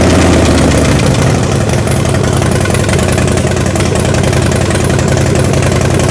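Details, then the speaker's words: Harley-Davidson Dyna battery test with a multimeter: brisk, even cranking rolls into a firm, steady rumble; voltage dipped briefly just below 10 V but stayed mostly above 10 V while cranking, showing an optimal battery. "that all right so as you can see with the Dina it may while it was cranking quickly bumped just a little bit below 10 but during the most of the cranking was above 10 and so that's what optimal battery looks like"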